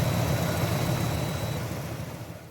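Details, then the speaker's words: 1973 Buick Centurion 455 V8 after replacing a twisted, damaged lifter with a new lifter set; the cam looked fine. It now has a steady, even idle with no ticking or tapping, and the noise is fixed. "I think new set of lifters and I'll have fixed that problem it's all back together and running great now"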